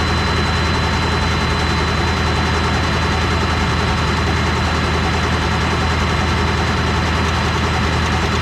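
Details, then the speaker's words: Ford F250 7.3 Powerstroke diesel after injector replacement, jumped from two trucks: fast steady cranking about 200 beats a minute with light clicking, injectors heard, but never catches; cranks without starting, cause unconfirmed. "so that didn't no good whatsoever"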